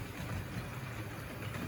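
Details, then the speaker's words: Vintage Wrenn model locomotive with a Ringfield motor, a particularly quiet example with well-meshing gears and armature bearings, pulling Triang and Wrenn wagons and milk tankers: a soft, even whirr with no rattles or grinding. Normal running. "so that is a lovely quiet one now look triang and ren wagons behind milk tankers at the back and that's going nicely"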